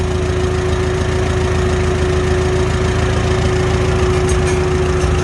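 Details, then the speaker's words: Farmall H tractor after carburetor adjustment, idling at 450 rpm on non-ethanol gas: even, steady low thumping with no misses, stumbles or pinging. Smooth, normal idle. "we go right back to idle right back to 450. just sounds great no ting ting ting none of that nonsense"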